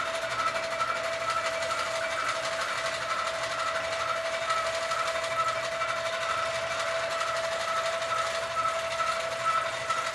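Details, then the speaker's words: Sewing machine quilting a quilt on a frame, bouncing more than normal; owner thinks something is too loose. Fast steady stitching hum with a loose, thudding beat about once a second. Excessive bounce. "Now, I don't know if you could see that there's a lot of bouncing. So, I need to figure that out, which means something is too loose. Like, it's supposed to bounce, but there's too much bounce."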